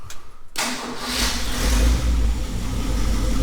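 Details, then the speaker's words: 1969 Ford F-350 with a 352 FE V8 swapped in for the worn stock 360, first start after sitting a while, 12 V spliced to the coil past the resistor wire, new plugs, old cap: brief crank, then a clean, steady, even V8 idle with no misses or knocks. Healthy. "pretty good so yeah like i said earlier i already knew this was a good engine but it's nice to hear it running good after it's been sitting for a while"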